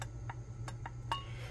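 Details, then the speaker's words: Mercury 1150 inline-six CDI distributor, disassembled: five sharp little pops over a low room hum as the warped, bowl-shaped trigger disc is pressed and flexes, likely from a piece refitted backwards, causing weak or no spark on cylinders. "but anyway, you can tell it warped the disc. See how it kind of pops? You can hear it popping."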